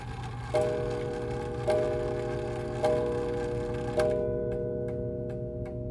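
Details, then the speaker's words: 1904 Gilbert "Congo" 8-day mantel clock after overhaul: four clean, evenly spaced hour chimes about a second apart with no buzz or rattle; sounds much better than the strike before restoration. "Well, I think that sounded a lot better than how it used to sound."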